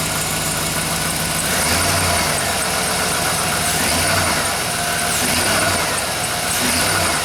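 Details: 2007 GMC Yukon V8 after replacing the driver-side motor mount for a clunk when accelerating from a stop: steady, even idle with a gentle low rumble and no clunk or knock; the mount is holding, fixed.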